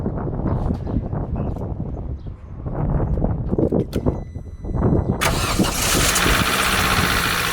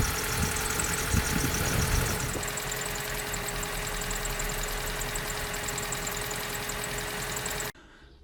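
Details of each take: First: 2004 Vauxhall Corsa C 1.2 petrol, off the road two years, before oil change on old oil: cranks, catches, then idles with a busy top-end clatter, likely tired valvetrain; oil change and flush expected to help. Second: 2004 Vauxhall Corsa C 1.2 petrol, off the road two years, idling after full service with fresh oil, new fuel filter and plugs; smooth even idle, no knocking, whereas before the oil change the top end sounded noisy.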